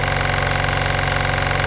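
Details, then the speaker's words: New Aimtools 1100 W 50 L silent oil-free two-cylinder compressor with fan cooling on each side, first run: rapid even piston thumping over a steady motor hum with no knocks, very quiet, building pressure quickly. "so there's the compressor running um honestly it's so quiet and it builds up to pressure so quickly"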